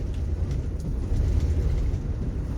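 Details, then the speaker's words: Mercury Cougar under restoration, engine running: rough uneven shaking rumble, misfiring as if running on only a couple of cylinders; needs a tune-up and carburetor overhaul. "She's running on just a couple cylinders. This is where the term tune-up came from. Carburetor needs to be going through for sure."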